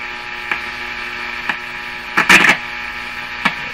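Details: Hallicrafters S-40A shortwave receiver, before alignment, while the power line filter capacitor is being tested: constant low buzz under the speaker hiss with a few clicks and pops; mains hum.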